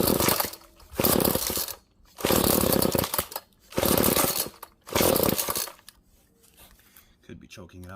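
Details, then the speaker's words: Found GTI 16D string trimmer with compression, choke on: four rough pull-cord bursts, the engine tries to light but doesn't keep running; more gas is suspected as the need, not confirmed. "i heard i heard it try to light but let me go get more gas quick"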